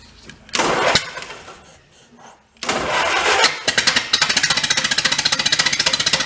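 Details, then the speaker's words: 1931 Ford Model A pickup, a barn find that sat for decades, on an early run: it catches after handling noise and barks loudly in quick, slightly uneven, harsh pulses. The owner suspects the muffler and plans to blow it clear and refit the pipe. Cause unconfirmed. "that is loud all right what if the legal seal itself up running a little"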